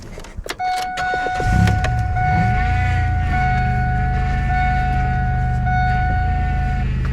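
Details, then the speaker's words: Car at idle with the power steering fluid run low: steady high whine over the idle as the pump aerates the frothy fluid; owner considers draining it all, and the whine later quiets. "I can tell just from looking at it that the liquid is really frothy that's because the fluid level went down so the pump was trying to move the liquid across but it wasn't getting there so it was mixing up with air and so now all of the fluid is super bubbly"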